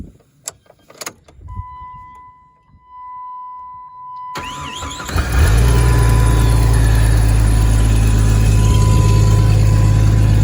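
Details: Jeep 4.0L with extensive coolant leak, just refilled with coolant, water and bottled leak sealer: catches after a short crank and settles into a steady, even, smooth idle; engine runs well despite leaking.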